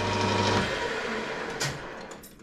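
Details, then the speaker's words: Home-workshop lathe deliberately set up for worst-case tool chatter: harsh, steady buzzing scream during the cut that breaks off as the machine winds down. "all right so the machine is going to scream at me but oh yeah that's horrible oh yep now she's unhappy she is unhappy yeah"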